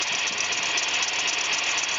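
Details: GMC Safari van 4.3 at idle: high, thin squeak chirping steadily from the front of the engine for about a year despite replaced alternator, power steering pump and water pump; owner fairly sure it's the belt itself.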